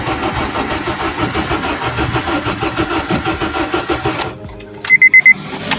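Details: Honda Civic 8th gen with no spark, no fuel fault, cranked after adding fuel; even quick starter churning about four seconds, no catch, then chimes; cranks, no start.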